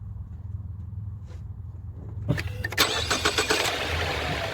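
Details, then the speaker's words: 2014 Ford Fusion, 72,000 miles, pre-purchase inspection startup; engine cranks and catches, then light quick ticking over the settling idle, the normal pulsing of the direct-injection high-pressure fuel pump and injectors. "So you hear that ticking come on. Those are going to be the high-pressure fuel pump pulses for you direct injection."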